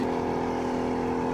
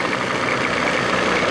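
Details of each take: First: 1987 Johnson 40 hp outboard that sat two years. At wide throttle it drones at a flat pitch and never reaches full revs, running on one cylinder; a flashlight test confirms the carburetor bowl's high-speed jet is clogged. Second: 1987 Johnson 40 hp two-stroke outboard in the water, throttle bumped to the first line. An even two-stroke burble at slightly raised idle with no misfires, and the telltale shows the impeller working: normal fast idle.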